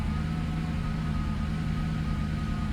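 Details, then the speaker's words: 1997 Lexus SC400 V8 idling low with a slightly uneven, stumbling pulse and an occasional deeper exhaust sound that shakes the engine; code P0307, misfire on cylinder 7. "the misfire. Bugs. You can hear it from the exhaust too. It has like that deeper sound, like every now and then. It'll make the engine shake."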